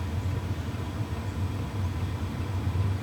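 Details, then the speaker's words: WIPPRO diesel heater just lit after a first-time fuel prime, glow plug indicator on, air warming: soft, steady low hum with no pops or surging, and fuel-pump ticking barely audible even up close. Normal diesel heater operation. "And there is ignition going on inside here. And the air is getting warm, nice and warm. I can't hear the fuel pump ticking."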